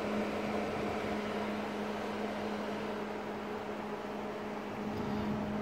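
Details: Grow light cooling fan at startup: a constant low, steady hum with a faint rough hiss that fades almost completely after a few minutes; probably a bad bearing, suspected, not confirmed.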